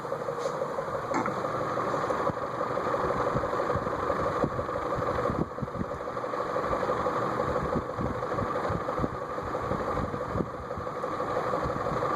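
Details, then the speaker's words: Eagle Fan Corp 2811 retractable-blade ceiling fan running with blades extended: steady motor hum with a soft rhythmic knock about three per second. The noise is from the motor, not the blades; a worn top bearing is suspected. "Yeah, that's the motor making that noise. That's nothing to do with the blades."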